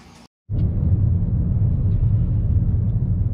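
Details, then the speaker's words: Car at about 57,000 km, driving after loose wheel nuts causing a rattle were tightened and oil changed: smooth, steady cabin rumble with no clunks or knocks; normal, no knock. "Còn em thì bây giờ xe đã hoạt động lại bình thường rồi Em không có nghe được một có tiếng kêu nhỏ nào nữa hết á"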